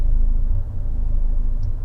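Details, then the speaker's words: 1.4L MultiAir turbo Fiat 124 Spider after swapping cylinder 3 and 4 coil packs, warm after about 30 minutes: low idle surging and sagging with noticeable stumbles, load fluctuating 23 to 40; rough idle with intermittent cylinder 4 misfire, cause still undiagnosed. "but it sounds and feels like complete [ __ ] like can you see it and hear it I can see it and hear it wow that was a big one"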